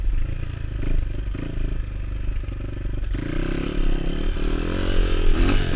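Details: Honda XR200 single on its first test ride after a full transmission rebuild and other new parts: thumps evenly and pulls smoothly as revs climb and settle, no knocks or gear clatter; sounds healthy, rider says everything felt smooth.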